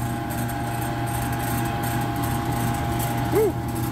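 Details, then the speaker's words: Exhaust fan motor rated 4.2 A at 230 V: runs with a rough, uneven drone over a steady low hum from bad motor bearings; it had been overheating and single phasing, tripping the motor starter, and the fan bearings need greasing. "that motor sounds like crap it's got bearings going bad in the motor and those bearings over there need to be greased for sure yeah that thing is rough sounding so i have a feeling we just have a motor going bad"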